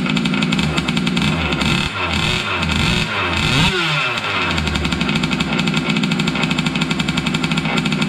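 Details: Losi 5T 2.0 gas two-stroke RC truck on VP fuel after about four to six months stored, primed and choked, started on the workbench up on tires: a loud, buzzy steady note with a brief rev blip, picking up cleanly without stumbling; normal running.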